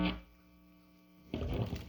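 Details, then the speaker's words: MIM Fender Jazz Bass with both single-coil pickups up together after flipping one pickup's magnet polarity, tested before restringing: a faint, steady mains hum remains, far quieter than the original buzz, an acceptable low residual hum. "bring them up together there's still a slight hum but i don't have to pick it on it's way better than it was"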